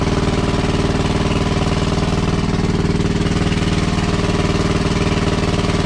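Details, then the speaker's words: WWII Chore Horse 300-watt battery charging set, model CH1 395-5, original 1940-41 paint, cleaned not refinished: even, steady single-cylinder thumping at constant speed, no misses or knocks; runs well and works great. "Just slightly change the throttle adjustment. It's just a screw you turn in and out. Right on, it works great."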